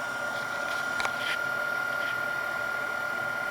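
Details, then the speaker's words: Denso 120A alternator off a Jeep Grand Cherokee, bench-run charging a weak 8.3V battery; steady even hum with faint constant tone, no grinding or rumble, bearings sound healthy; normal alternator running. "everything sounds good no nasty noises coming off the alternator which is the most common for that the bearings are four"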